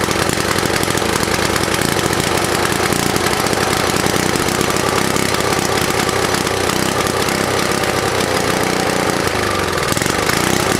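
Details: Vintage snowblower engine after cleaning, choke and throttle redone: uneven, stumbling beat with sputtering exhaust; runs rough, muffler making weird noises as debris burns out.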